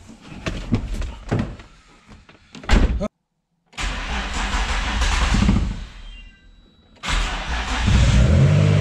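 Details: Infiniti G35 VQ35DE after ECU sent off for anti-theft NATS removal: a few cranking turns, then catches and settles into a steady, even run; normal start.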